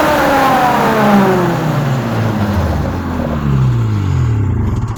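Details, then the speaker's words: Snowmobile, started once every couple weeks and given a few revs: engine revs up and falls back smoothly a few times, clean pitch changes, no knocks or rattles; sounds good, normal revving. "But I come out here and I start it like once every couple weeks and just give her a few revs."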